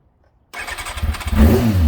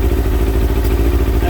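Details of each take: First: Kawasaki ZX6R J2 four-cylinder after carb rebuild with new main jets, needle clip adjusted and carbs synchronised: starts at once, smooth even quick idle at 44 degrees, set slightly below Kawasaki's 1300 rpm spec; healthy. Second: Kawasaki ZX6R J2 four-cylinder after carb rebuild with new main jets and needle clip change, warming at 55 degrees, before adjusting carbs 1 and 2: lumpy, irregular idle; carburettors out of balance.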